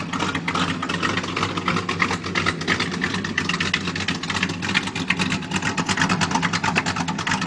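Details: 1987 Chevy 350 V8 with cam and flat-top pistons, just bought, first start, needs a tune-up: loping, uneven idle with choppy beat over steady exhaust rumble; rough idle.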